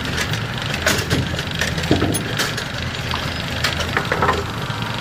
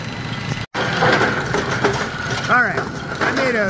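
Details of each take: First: Brunswick A2 pinsetter after GB cycle linkage work, still running on a worn bearing awaiting replacement: clanks, rattles and sliding knocks over a steady hum; a normal cycle with no binding. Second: A Brunswick A2 pinsetter's GB cycle linkage, retested after a dashpot plunger adjustment at 180 waiting for pin, runs a clattering cycle with ratchet clicks and a brief chirp. The linkage over-travels and fails to latch.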